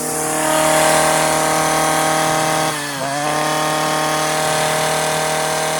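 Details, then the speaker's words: Stihl FS56 residential trimmer cutting tall, thick grass: high, steady screaming tone at full revs, briefly dips then climbs back. Over-revving because the trimmer line is cut too short. "The string is too short there. That's why it's going And you know, it's just it's too short."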